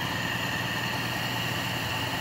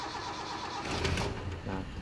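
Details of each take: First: Toyota 5K engine during tune-up (valve clearance, ignition, spark plugs, carburetor repair), carburetor air screw adjusted for steadiest rpm: steady, even idle with a light hiss, no knocks or misses. Normal idle. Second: Toyota 5K engine after a tune-up (valve clearance, ignition, spark plugs, carburetor repair), throttle cable not yet attached: the starter churns steadily for a long time before the engine finally catches and picks up.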